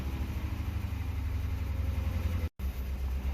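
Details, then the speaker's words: 2004 Crown Victoria Police Interceptor V8 started after clearing codes, idling and revved: lumpy uneven rumble with an audible miss; scan shows a cylinder 8 misfire and an evap code. "So I went ahead and fired it up. It's not happy. Oh, trust me, we're going to get some codes here in a minute. Let me rev it. Ooh, I can hear that miss."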